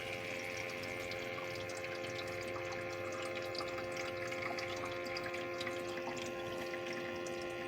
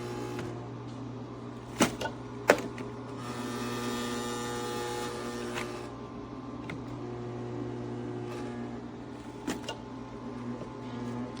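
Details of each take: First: ecozy countertop nugget ice maker set to small cubes: a soft, steady pump hum with a light trickle of water as it fills the ice trays. This is normal water filling. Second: ecozy countertop nugget ice maker with its ice drawer not pushed fully in: a steady low hum with a rising rattly buzz and odd clicks. The noise is loud vibration from the unseated drawer and can also occur if something touches the unit.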